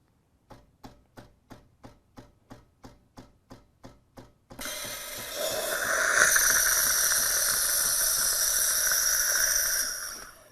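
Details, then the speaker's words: Gaggia Velasca espresso machine heating to steam temperature: about a dozen rhythmic thunks, nearly four per second, then a steady hiss as water purges from the Panarello steam wand before steaming; normal. "And on Gaggia's machines, there is a telltale sort of rhythmic thunk that you'll hear when the machine is about ready to start dispensing steam. We'll see a bit of water purge out of here, and we'll get that into this pitcher and not into our milk."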